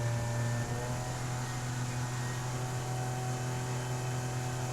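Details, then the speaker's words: Solar 470 SJT inflatable jet boat cruising on a river: steady low drone with a thin constant whine on top, new noise it never used to make; owner hopes it's not a motor bearing, cause unclear. "my motor makes that noise. I'm hoping it's not a bearing."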